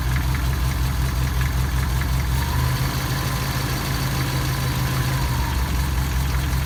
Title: Стук двигателя